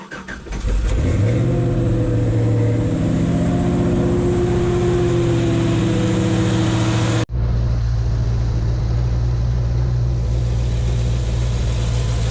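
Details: GMC/Chevy truck V8 (5.3, 6.0 or 4.8), started in neutral after a severe-duty fan clutch replacement: cranks and catches quickly, flares briefly, then settles to a steady, even idle with no knocks or squeals; healthy running.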